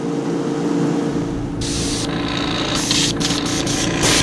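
Steady hiss comes in short even bursts with clean starts and stops, no sputter or spitting; the airbrush is spraying clean and normally.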